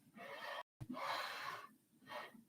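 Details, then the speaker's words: Anycubic Mega S i3-style FDM 3D printer, unassembled, bed pushed back and forth by hand: soft, even swishing of the linear bearings, no grinding or clicking; normal linear bearing slide noise. "that's the sound the linear bearings make but pretty sure they'll be dwarfed by the up the appalling fan noise"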